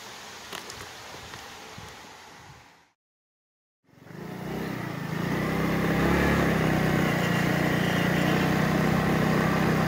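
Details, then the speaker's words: GY6 150cc scooter after replacing a CVT clutch that was coming apart, on a test drive: pulls away into a steady, even drone with no judder, rattle, slipping or previous noise. Normal CVT clutch engagement. "right guys we're out on a uh this final test drive here this clutch is definitely not making any of those sounds like it was before totally awesome"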